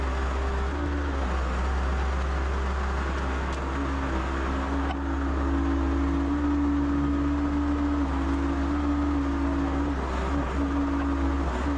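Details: Excavator with Deutz diesel, running after first start in about three months: steady, even low drone with no misses, knocks or hunting; engine running fine while hydraulics are checked for leaks.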